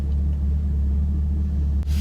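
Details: Camaro LS3 V8 after repairing MAF harness chafed on power steering pulley that blew a fuse (aftermarket AEM intake): deep, steady rumble, even beat, no knocks or misses; fuel pump control module code remains. Normal idle after repair.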